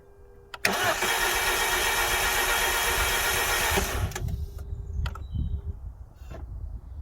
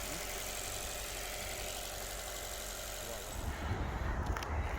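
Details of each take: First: Alfa Romeo Giulietta that had been standing a very long time, keys newly coded, fuel pump priming: starter cranks for several seconds without catching, repeated attempts, then the engine finally fires; hard start, cause not confirmed. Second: 2011 Alfa Romeo Giulietta 1.4 petrol Veloce, long stood unused, finally started after many cranks: steady low idle rumble under hiss, no knocks or stumbles; idling normally. Clutch separately not working.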